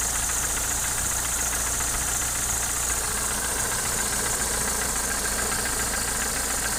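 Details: Opel Omega A with C20NE engine, hydraulic lifters already replaced: idling with a fast, fairly uneven light knock over a hissy background; source not identified. Engine knock.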